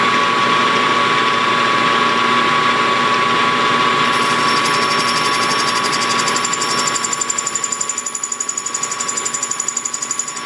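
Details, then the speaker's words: Hobby lathe facing a Kerzel model engine flywheel, about 5 thou cut: steady machining whine, then a fast, even ringing chatter of roughly three beats a second; the tool cuts poorly, to be resharpened or replaced. "Nope, I don't like that tool. I don't like that tool. Let's see if I can find something else. Either that or regrind this one."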